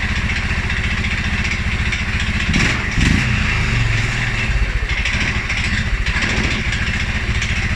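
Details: 2011 Polaris Sportsman 550 XP, EFI: single-cylinder thumps, brief rev blip, then uneven loping low idle; stumbles cold on startup and after riding or revving. Dealer found TPS, IAC, TMAP in spec; valve clearance, timing, new plug, 43 psi fuel pressure good; cause unknown.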